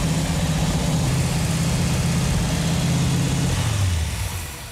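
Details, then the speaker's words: 1969½ Dodge Super Bee A12 440 Six Pack V8 just after its first start following fuel line repairs: a deep, even idle with a steady low rumble and no misses or knocks. Normal idle. "It feels really good to hear that engine run. Yeah, feels good. That engine sounds so good."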